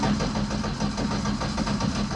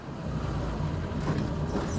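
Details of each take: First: Ford ST170-engined Mk1 Escort four-cylinder: lumpy, stumbling idle with irregular beat, as if two cylinders are not firing, because two HT plug leads were swapped. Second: Ford ST170-engined Mk1 Escort four-cylinder idling smoothly after correcting two swapped HT leads that had it running on two cylinders for about 20 miles: steady, even low rumble, no misses.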